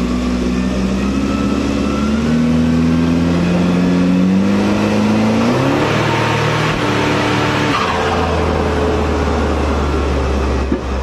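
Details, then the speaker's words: Commer van with 2.3 turbo accelerating on road test after fresh spark plugs and new in-tank fuel pump: smooth clean pull, note climbing steadily through the gears, no stutter; misfire cured. "I am back at the house the misfire is definitely gone performance as well is much improved"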